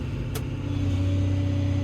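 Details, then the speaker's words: Six-cylinder 140 diesel revving: deep even drone building smoothly, no knocks; healthy, engine light only from unreset PRV count. "oh listen to that six cylinder raw tell you what these these these six cylinder 140s are absolute the cream like they really are"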